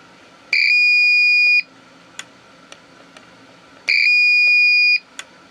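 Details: APC Back-UPS 500 switched on with its battery removed: two long, steady high-pitched beeps about three seconds apart, each about a second long; the UPS warns it has no usable battery.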